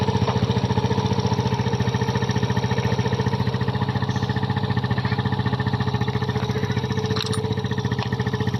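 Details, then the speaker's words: Kymco Visar 110 after replacing the knocking connecting rod with a new crankshaft assembly: even, steady putt-putt idle with clean regular firing and no knocking underneath; bottom end sounds healthy. "Yun oh. Nawala na ang tunog ng kanyang makina. Natunog ka lang pag connecting rod dahil napalitan natin siya ng bagong crank shop assembly."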